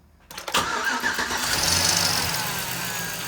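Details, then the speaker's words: 2006 Chevrolet Silverado Gen 4 5.3 V8, previously dead misfire on cylinders 1 and 3, after removing anti-fouler adapters and fitting used spark plugs: quick crank, clean catch, even steady idle on all cylinders; normal start and idle. "unreal runs great"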